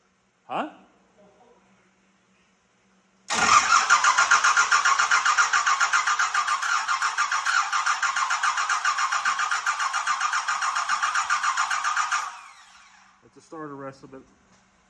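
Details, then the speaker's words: 1986 Ford F350 with swapped 5.9 L 12-valve Cummins, no coolant system, first start attempt. Starter churns steadily for about nine seconds without catching. Fuel filter suspected not filled/primed; injectors later opened to bleed. "are you sure you filled that fuel filter cuz if you didn't fill that filter we're just pissing in the Wind"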